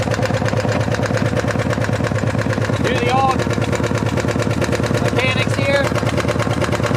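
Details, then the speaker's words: 1975 Harley-Davidson FLH Shovelhead at idle: loose, loping idle with a sharp tick on each beat, about three a second, from the rear rocker box; the rear cylinder's intake lifter isn't staying pumped up. "You kind of basically have to run it to try and figure out where the noise is coming from. Coming from this back rocker box."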